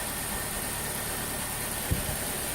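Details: Saturn Ion after cylinder head replacement, first start at low rpm with fresh oil, filter and new spark plugs, after earlier oil starvation damaged the camshaft journals: steady, even idle with no rattle or knocking; sounds healthy.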